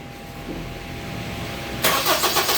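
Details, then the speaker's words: Gen 2 Honda CR-V that would not start, heard after replacing the starter/fuel pump relay. After a quiet moment the starter engages and the engine fires almost at once on the first crank. Normal start. "Basta pagka may problema lagi niyong pantayin mga sir yung relay na nandoon sa loob mismo, nandon sa gilid na yung doon yun yung starter tsaka fuel pump. Agag hindi umandar ang inyong mga CRB. Off natin on. Boom! Nag-on start. One click."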